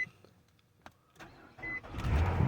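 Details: 2017 Nissan Maxima with a crank-no-start complaint, started using the battery tester on a 200 A engine-start boost: a brief crank, then it catches and settles into a steady run. The battery later tested at 55%, so the battery is bad.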